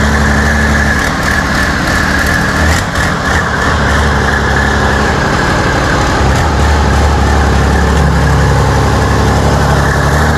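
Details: New diesel engine for a T62 tank, first test run after oil fill and starting fuel: deep, steady diesel rumble with even beat, no knocks or misses; engine sounds healthy.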